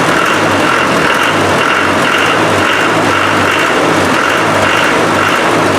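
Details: Land Rover 300Tdi diesel with hard-starting after fuel pump replacement: steady diesel clatter at idle, even beat with no misses or hunting; old pump likely the cause.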